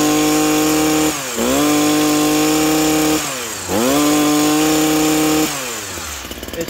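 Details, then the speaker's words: Stihl HS82R hedge trimmer two-stroke, warmed up, factory carb settings: blips cleanly from idle to high steady scream and back each time, revving freely and crisply; healthy throttle response. "should really tack up high you know when it's nice and warmed up"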